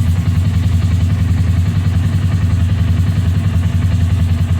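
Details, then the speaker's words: Polaris Ranger 570 EFI started right after replacing the integrated fuel pump and fuel level sending unit. It settles into a steady low idle with even pulses and no misses or surging, confirming the new pump works. "Now the next question is does it start? Which would mean the fuel pump is actually working. So let me start it up."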